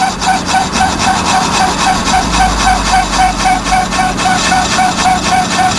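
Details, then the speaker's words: Trailer electric brake drum on a lathe, rusty on one side but turning true: cutter fed out until it cuts all the way around, giving a steady rasping cut with an even scrape about 3.7 times a second; normal cut. "this thing had a lot of rust on one side so that's the brake drum is actually turning true but because of the rust in one spot it's going to act like it's not so turn that cutter out till you can hear that it is cutting all the way"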